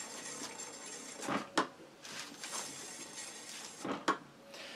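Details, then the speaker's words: 2009 Yamaha DT 50 on a stand, front wheel spinning: soft swishing rub once per turn, normal light drag from new brake pads on a rusty but originally new disc. "vous entendez là le frottement c'est normal les plaquettes de frein sont neufs et le disque by il est rouillé mais il a été neuf à la base"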